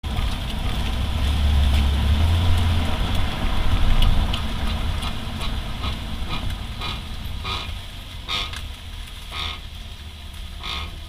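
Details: 2008 Honda Accord V6 rolling: sharp irregular clunks and grinding from rear as it slows while braking, both rear sides; occurs after new rotors, pads and lubed caliper pins, heat shield not touching rotor; cause unknown.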